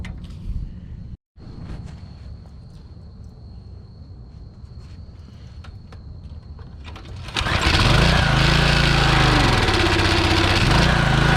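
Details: Troy-Bilt pressure washer (believed Briggs & Stratton, auto choke): near silence, then the engine catches at about seven seconds. It settles into a steady, even run with no misses.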